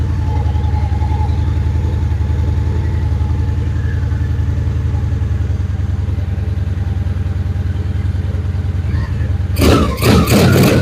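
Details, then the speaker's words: Honda Shadow Spirit VT750 on new Chinese carburetors, restarted after adding a fuel hose clamp, shirt microphone: steady, even V-twin idle with a deep regular beat, then a few quick blips; sounds fantastic and healthy. "Well, guys, I would say it sounds pretty fantastic."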